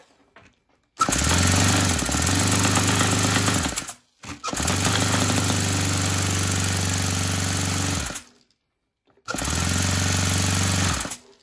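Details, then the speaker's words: Saito 100 four-stroke nitro glow engine after rocker covers removed to check valve gap: bursts into a rough buzz then cuts out three times, fuel bubbles blowing back into the tank as if intake and exhaust reversed; owner suspects incorrect valve timing. "it blows back the way the bubbles are blowing back into the tank it's like the exhaust and the intake are backwards well my guess is still that the timing is messed up"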